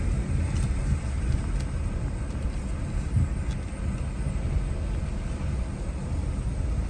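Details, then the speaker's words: 2017/2018 Chevy Malibu after replacing the rear knuckles (worn lower bushing), test drive with hard braking: only even road and tire rumble, no rear clunks or knocks; previous rear noise gone, normal rear suspension. "all right guys I just made it back thing drives amazing no more noise"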